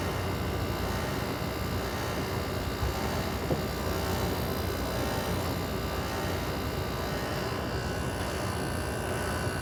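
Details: Carrier International 5,400 window air conditioner made August 1989, running after its first start in months: a steady, even hum with a soft fan rush and no knocks or rattles; the compressor is running normally.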